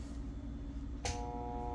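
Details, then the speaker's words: Moen garbage disposal, unplugged, red reset button pressed, plugged back in and switched on: a click, then a steady buzzing hum with no spin-up or grinding, the motor stalled against something jammed inside. "so you hear that there's a humming noise so that's the problem so that tells us that there's something in there like a jam"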